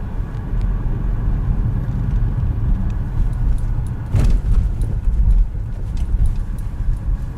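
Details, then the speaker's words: Nissan Rogue / X-Trail T32 driving over rough road and rail crossings after fixing front suspension squeaks that appeared below about −2 °C: road rumble and one firm thump, no squeak or creak; quiet suspension. "Впереди никаких нету скрипов. И можно наслаждаться тишиной."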